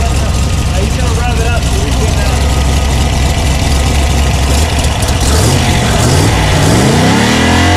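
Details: Factory Five Type 65 Coupe with a 302 small-block Ford, running just after swapping Ford aluminum heads for AFR 185 heads; rough-edged idle, then revs climb cleanly and fall back without stumble or knock, normal revving.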